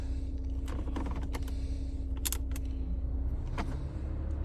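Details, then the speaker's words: Older Toyota RAV4 at a dealer auction, engine idling with a low steady hum, then a few sharp dry clicks as the air conditioning compressor clutch engages normally. "Oh, heard the compressor click on. Should be in pretty good shape then."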